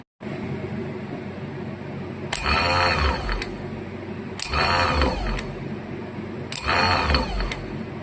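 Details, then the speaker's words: 1977 Bolens G10 starter, bench-tested after repair and reassembly with greased drive: three short, even whirring spins, smooth and quick, no grinding; healthy starter running like new. "Yeah, that is one happy healthy starter motor."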